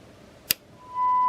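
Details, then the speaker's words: 1982 TRC-1004 rescue radio, previously non-working, powered on after fitting a new replacement chip and new 945 transistor: a click, then a clean steady beep at even pitch, showing normal tone reception. "and there we go we've got our tones that was it I did suspect it would be that"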